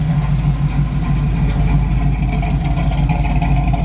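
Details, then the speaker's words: Firebird pulled out and readied for a long road trip, with the air conditioning working. Deep, even V8 burble at idle with a steady low lope and no knocks, ticks or stumbles; it sounds healthy and ready. "and the air conditioner work it's sounding pretty good I think it's ready for the trip"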